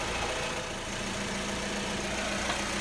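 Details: Suzuki SX4 at idle after AC evaporator replacement and recharge, in poor ambient temperatures for performance testing; steady idle under even blower hiss, no compressor clatter or belt squeal, condensate on suction line; AC running normally.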